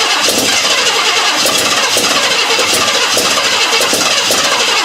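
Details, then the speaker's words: 1956 Ford Thunderbird, unmoved for 18 years, fresh gas and carb cleaner, electric fuel pump: fast cranking with uneven compression pulses, never fires. Cranks, no start; the carburetor is leaking fuel and needs a rebuild. "okay not very impressive but that's where we're at so far it's trying goddamn you can hear it trying it is trying so hard but it just I don't know"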